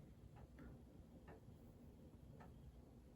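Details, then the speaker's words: 1927 Junghans German grandfather clock: quiet ticks with uneven gaps between tick and tock; out of beat, owner suspects it may not be level on thick carpet, fix by bending the pendulum rod top. "might start on its own. Okay. I think it's out of beat a little bit."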